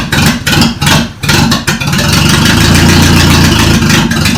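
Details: Toyota Corolla first start after its engine was reinstalled: several seconds of choppy cranking, then it catches and settles into a steady, even idle. It starts and runs fine.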